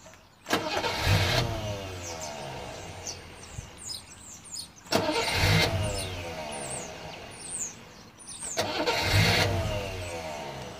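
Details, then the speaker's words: Rover P6 after fixing shoddy, loose starter wiring: three separate bursts of steady starter churn, each about a second; starter engages and cranks normally again, sometimes with a slight delay. "It's working now. Sometimes there's a slight delay on it."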